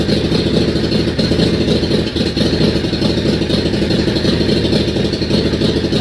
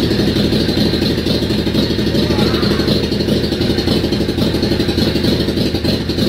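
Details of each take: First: Yamaha Virago XV535 twin, first start in months with a charged battery and fuel pump: rough, lumpy running with loose clatter, holding fast revs on choke, then dying; cold start on choke, owner believes it is out of fuel. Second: Yamaha Virago XV535 V-twin started with choke on a recharged battery after months unused: loud, uneven idle with a loose clattery beat about four pulses a second, smoky and stinking; owner blames bad old fuel, then it dies out of fuel.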